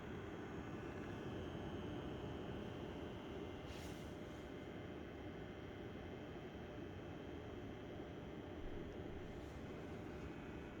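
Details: BenQ X1300i gaming projector at startup, recorded less than a foot away: steady even airy whir with faint constant hum, no rattles or pitch wobble; normal fan noise.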